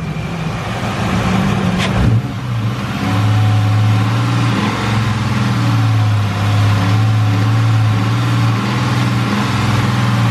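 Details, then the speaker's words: 1999 Mustang GT with a Mark VIII/Cobra swap at the drag strip, temps fine, code read as P0320: under load the engine breaks up hard with an uneven, stumbling beat; owner suspects the coil or coil wires, possibly an injector. Engine misfire under load. "my guess is a coil coil wires might have just broken because it is breaking up hard it sounds like smart blowing"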